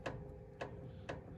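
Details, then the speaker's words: Ford Super Duty (2005–2007) front end inspection: three sharp metallic clicks, about two a second, as channel locks squeeze the joint, showing up-and-down play in a worn inner drag link end needing replacement. "so that is a sign that this part is wore out so that is our uh inner drag link end"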